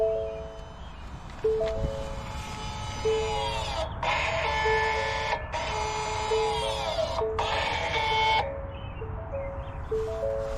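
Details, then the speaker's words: 2013-2018 Ford Escape during a rear brake pad change: on exiting electronic parking brake service mode, the dash chimes, then three whirring rear brake motor runs of a second or two each rise and fall as the motors apply normally. "a series of it sounds like something's dying back there. That's how you know it's going good."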